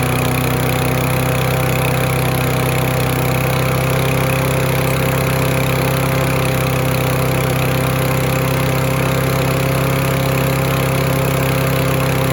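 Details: Free Husqvarna mower, throttle cable missing, after fuel was poured into the spark plug hole: a small single-cylinder engine running steady and fast, a bit high at idle, no misses. Debris and pebbles blew out; owner thinks the clog may have cleared. High idle.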